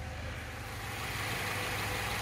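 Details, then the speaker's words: 2014 Subaru Outback with 93,000 miles and no check engine light, heard from the engine bay: a steady, even idle with a low smooth hum and no knocks, ticks, rattles or vibrations. The engine sounds healthy. "so as you guys can tell nice and smooth running engine no odd noises or vibrations this thing is almosts like a top"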